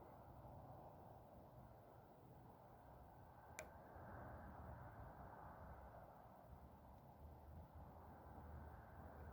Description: When focusing my Celestron 11" EdgeHD, there is an intermittent clicking sound.